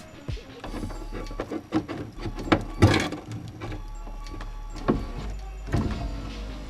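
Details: 1989 Lotus Esprit, about 45,000 miles, passenger power window motor after tapping track forward: labouring whir with clunks and strained low drone as glass climbs; very slow, weak going up, low battery suspected but unconfirmed.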